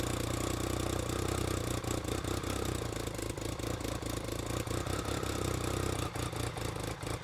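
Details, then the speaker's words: BMW K75 RT right after fuel injector replacement, test run: steady three-cylinder drone with uneven dips and slight stumble, same as before. Poor running and lack of power, likely from a dirty air filter. "it's doing exactly what it was doing before I don't think it's the fuel injectors before I make the final call but I think um something else"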